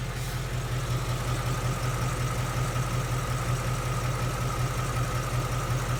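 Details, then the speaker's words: Ford Mustang GT S550 5.0 Coyote V8, warmed to normal temperature, restarted, about 100°F ambient in Phoenix, heard from the other side near the fender. Smooth idle, low burble, soft valvetrain chatter, no tick: healthy warm idle. "See how quiet that is? There's no barbecue igniter tick. There's really no infamous Mustang Coyote tick as well. All you hear is some valve train noises that are considered as normal."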